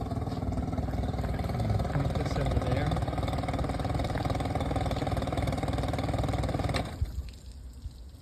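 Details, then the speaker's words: 2011 Tracker Super Guide 16' boat, original Mercury 40 HP outboard, under 60 running hours, idling in neutral: even low putter with smooth regular firing, cuts off cleanly near seven seconds. Normal idle. "And I'm going to turn the engine off and turn it back on so you can hear what that sounds like."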